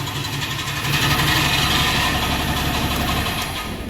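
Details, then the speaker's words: 2013 Ram 3500 diesel at idle with a regular metallic knock about four times a second, following engine rotation. A damaged flex plate is rubbing the starter. The noise began about 1,100 miles ago, and the rear main seal had blown out earlier. "um so little bit of context somebody uh he had the rear main blowout on him at one point and they found out the reason the rear M blew"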